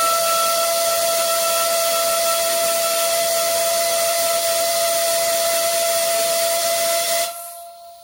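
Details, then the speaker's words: Generic Chinese-made air compressor, safety relief valve blowing off at about 65–70 psi, well below its set pressure: loud steady horn/trumpet-like tone over rushing air for about seven seconds, then cutting off, with slight hits of escaping air as the ball reseats. "so there we can see about 65 psi it's starting to uh shut off you can still hear the slight hits of escaping air as the ball just reseats itself"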